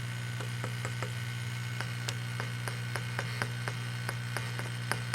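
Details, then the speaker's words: Vintage Fender tube reverb guitar amp, listened to from the rear of the amp: a steady mains hum with sharp, irregular rattles and ticks about three a second that follow tapping on the tubes. The owner suspects microphonic tubes or bad connections in a tube base, possibly the rectifier tube. "But I want to zero in on some other noise I'm hearing. Get right here and take a listen. Hear that rattle"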